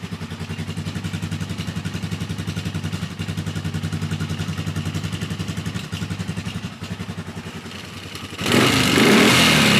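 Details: Polaris Sportsman 450 ATV on its restored original Mikuni carb, running without choke or enricher before fully warm. Steady single-cylinder idle with a light clatter on top, which owner suspects is the starter clutch rollers. Normal clean idle.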